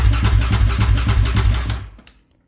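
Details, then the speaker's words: Rebuilt 740cc Raptor 700 ATV engine after oil priming, fuel pump reconnected. Even starter churn at about four turns a second for under two seconds that never catches; owner suspects a dry fuel tank; cranks but won't start. "I think this fuel tank is dry yeah that's probably dry so it's not going to start right now maybe it's got a little left in"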